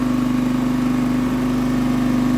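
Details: Scrap auction Honda generator, fried pull string, no new parts: lights on the first pull and settles into a steady, even hum with no misses or surging; running normally.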